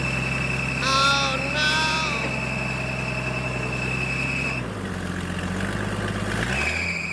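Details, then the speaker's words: Military surplus forklift idling in neutral after adding hydraulic fluid; steady low drone that drops in speed and picks back up; it runs and hydraulics work, though a hydraulic leak or overflow is noticed. "okay well I've got it to run we got the Hydraulics working"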